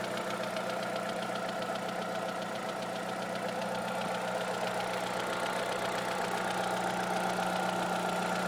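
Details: Opel/Vauxhall Astra engine with a weird light, even ticking at about four a second at idle, tapping faster when accelerating and disappearing above 2000 rpm; source of the tick not pinned down.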